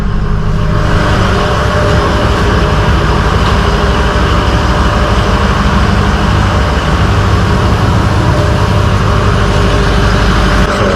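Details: Ford 6.0 diesel truck, warm after being driven under load, idles with a deep, even rumble and no miss or stumble. A dead cylinder was suspected at first, and the check engine light has since gone off. Healthy idle.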